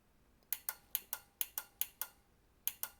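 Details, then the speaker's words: 2005 Dodge Ram 2500 trailer light relays bench-tested with 12 V across the coil pins: five crisp click pairs, each a pull-in then a drop-out, over near silence; the relay switches cleanly and is good. "That's a good relay actuation. Also a good relay actuation."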